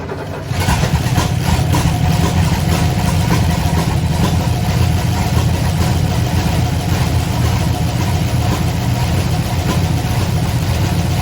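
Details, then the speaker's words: 1968 Oldsmobile Delmont 88, sitting 30 years, after vacuum line fixes, fed from a lawnmower tank, alternator disconnected: noisy idle with rapid top-end chatter and an uneven beat; oil light on, no gauge, owner fears no oil pressure. Valve chatter and misfire. "Sounds a little noisy. I am concerned because the top end was still pretty chattery, still had a misfire, and the oil light is still on the dash."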